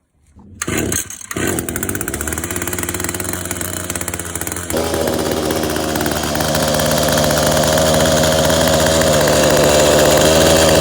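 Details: Echo HC-152 two-stroke after sitting two years as a non-starter, now with a new fuel filter, air filter, spark plug and carb and the idle adjusted: starts after a couple of pulls and buzzes steadily, climbing cleanly with throttle. Normal running.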